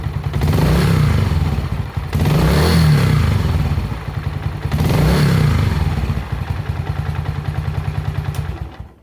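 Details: Honda CG125 single with high-throttle running problem, blipped under timing light: revs rise and fall with even beat, but timing retards instead of advancing; pickup coil or generator coil suspected.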